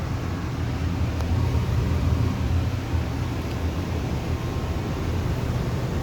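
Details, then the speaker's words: Amana 95 IIQ two-stage variable-speed gas furnace running on high stage, heard at the unit in the basement: deep steady roar with even air whoosh, no rattles or squeals; owner thinks burners seem to get stronger; normal operation. "It's almost like the burners get stronger or something. I don't know. I could be wrong about that."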